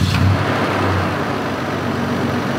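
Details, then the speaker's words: 1996 Toyota T100 V6 pickup, 236,000 miles, oil changed regularly, no oil burning: just-started engine settling into a smooth steady idle with only faint cam/valvetrain tick, normal for that mileage; runs perfectly fine. "236,000 miles. The only thing I hear is a little bit of cam noise. You're always gonna hear a little bit of cam noise on an engine with that kind of mileage. Doesn't burn oil, runs perfectly fine."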